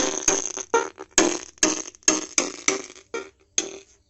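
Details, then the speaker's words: 3055-transistor audio amplifier at full volume: music comes out rough and buzzy, each beat breaking up with a rasp. The output is distorted, and a damaged speaker is suspected but not confirmed. "देखो पूरा volume बढ़ा दिया लेकिन सावन का कोई improve नहीं हुआ है"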